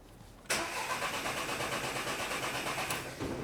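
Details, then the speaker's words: Car with an intermittent no-start, no fault codes, no timing issues and it drives fine: the starter spins the engine with steady, even pulses for about three seconds but it never fires; the cause is not found, and it usually starts on the next try. "No timing issues, it drives spot on, it just now and then will not start when it's supposed to."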